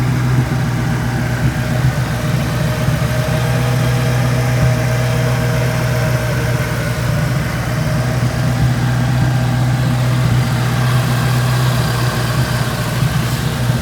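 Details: 2003 SVT Mustang Cobra, supercharged, after replacing front pulley bearings to cure a bearing noise; steady even idle with smooth low hum, no chirp, squeal or bearing rumble from the belt drive; normal idle.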